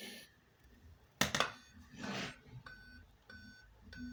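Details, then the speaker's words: Dell Inspiron 3531 laptop gives short clear beeps about every 0.6 s at power-on and won't boot, seemingly from the speakers; RAM removal/swapping and holding power 30 s didn't help, no visible board damage, cause unknown. "can anyone please assist me with this some weird beeping sound b seems as if it's coming from the speakers"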